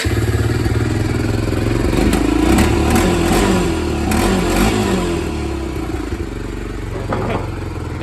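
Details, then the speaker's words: 1993 Honda 300EX ATV, no brakes, won't run from tank: with gas tank removed it fires up on leftover float bowl fuel, single cylinder idling with slightly uneven, fading beat, about to die; tank needs cleaning. "tank because there's gas in the bowl running off that about to die but anyway so she fires right up"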